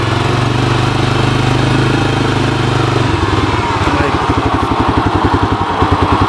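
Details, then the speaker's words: 1985 Honda TRX250 ATV, carb running rich, riding in second gear. Single runs smoothly, then drops to a slower, lumpy uneven beat as it loads up and nearly stalls, needing a kickstart: engine loading up. "Seems to be loading up. Shoot, I gotta kickstart it again."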